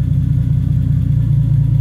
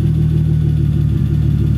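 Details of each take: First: 1985 BMW E30 turbo, 2.5L M50 non-Vanos, HX35, Megasquirt with no idle control valve, idle held by timing and possibly AFR tables. A low, deep idle rumble swells and sags, bouncing and wandering around 500-600 rpm: a hunting idle. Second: 1985 BMW E30 turbo, 2.5L M50 non-Vanos, Holset HX35, Megasquirt, after a brief rev. A low, even idle rumble with a steady beat and no misses, rising slightly as coolant temperature climbs: a normal warming idle.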